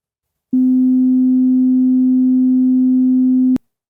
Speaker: so even if you can't hear the difference you can see the harmonic distortion for all three speakers so first here's the good speaker